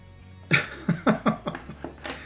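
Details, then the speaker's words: All-Sun EM3252 budget autoranging multimeter: about seven sharp irregular clicks over two seconds as the relay clatters while hunting for a range; autorange relay clicking. "has that very interesting annoying beep and you hear that relay clicking all the time"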